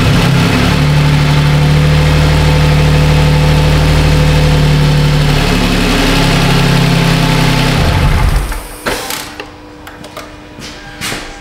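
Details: 2007 Toyota Sienna 3.3 after fixing P0340 camshaft sensor long-crank issue: smooth even idle with steady low hum, no misses or knocks for eight seconds; no codes return.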